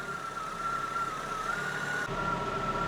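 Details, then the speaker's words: Fiat Panda 4x4 idling after wires were reconnected. The idle is fairly steady, with a faint high whine and a slightly uneven low rumble. The warning light is gone; the owner thinks the ECU is still learning, and it runs much better. "It starts, and there is no longer any warning light. And it's not idling perfectly, but I think the ECU is still learning, and it's a lot better."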